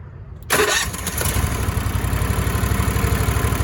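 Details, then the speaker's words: Cushman three-wheeler starting with the engine unloaded by its lever to cut starter amp draw. A brief crank, then it fires right up to an even, steady idle; a normal start. "Cranks right up."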